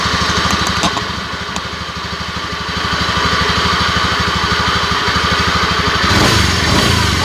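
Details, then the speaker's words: Honda Scoopy scooter running, owner complained of humming: steady humming drone over the quick firing beat, fairly loud; mechanic suspects the bearings (laher bandul) before disassembly. "oke ya suara handlingnya lumayan agak keras ini kalau berkendara ada suara gini kan jadi nggak nyaman ya teman-teman"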